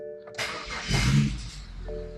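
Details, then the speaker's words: BMW 135i with an N54 engine, converted to an 8HP45 automatic, in park with a Lamik tool connected. A short crank, then it catches at once and settles into a steady idle; it starts straight up with no errors. "started straight up and no errors on the lamix screen"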